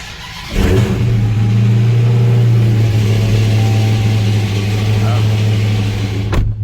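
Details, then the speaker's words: Dodge Charger SRT Hellcat V8 with a blown engine, started in the garage and revved on its way to the dealership: a loud rumble with an uneven ticking at start-up, internal engine fault, cause unconfirmed. "that does not sound healthy let's hurry up and get to the dealership look at my gas tank full two damn it's loud you can hear that ticking sound right just by starting it"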